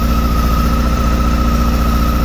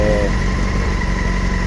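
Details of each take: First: 2007 Honda Hornet 600 four-cylinder during carburetor synchronization: loud low idle near four beats a second with slightly uneven pulse; cylinder 1 dropping on the gauges because a screw pierced the vacuum hose, leaking air; rough idle from vacuum leak. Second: 2007 Honda Hornet 600 four-cylinder after fixing the leaking vacuum hose and re-synchronizing the carburetors, cylinder 4 connected directly: steady even idle, smooth low drone, no stumbles or misses, responding better; normal idle.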